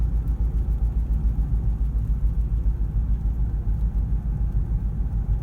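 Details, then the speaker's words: 2012 Honda Pilot at about 70 mph after ten minutes of highway driving: deep rhythmic rumble about three times a second with steering wheel shaking; sticking front brake caliper, scored overheated rotor. "listen to that noise that's the caliper stickin and steering wheel and everything shaking"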